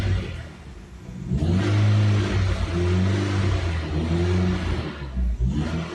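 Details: Turbo engine swap near completion with shady wiring and an injector wiring electrical malfunction flagged: engine surges and sags unevenly, never settling to a steady idle, fuel pump running constantly; cause of missing idle still unknown.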